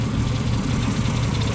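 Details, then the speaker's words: 1977 Ford F-150, 4.9L 300 cu in straight six, cold start after radiator replacement: deep, uneven idle that lopes and stumbles with choke set fully open; choke needs fixing, runs poorly cold; owner also hears what sounds like a miss at idle. "Let me go ahead and crank her up. Need to fix the choke on this thing too. Doesn't like running cold."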